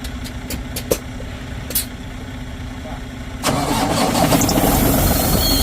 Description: THIS CUMMINS ISX15 HAD A TURBO ISSUE AND THIS CAUSED PROBLEMS LIKE ENGINE DOES WANT TO START THE TURBO POSITION WAS STUCK IN THE CLOSE POSITION BLOCKING THE FREE FLOW OF THE EXHAUST GASSES CREATING THIS PROBLEM.